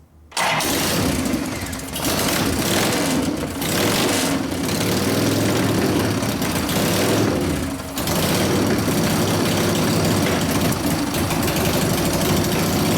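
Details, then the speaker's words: 1999 Harley 80ci Evo rigid-frame bike, running after low-speed jet raised to 29.5, pipe warming up: lumpy idle surging and sagging every few seconds; idle mixture first wanted very rich, then not. Carburetor suspected full of dirt cleaning itself out. "All right, so the idle mixture wanted to be real fat, and then it got really, didn't want it. So I think the carburetor's full of crap and it's cleaning itself out right now."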